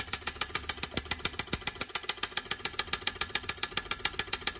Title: Whirpool S25D-RSS33 problem, relay clicking rapidly